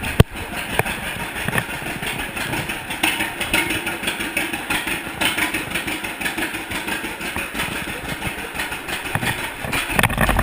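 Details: 1942 John Deere Unstyled A conversion whose engine was stuck, first start after fitting new spark plug wires: slow, uneven two-cylinder popping at idle, loose but steady; a normal idle.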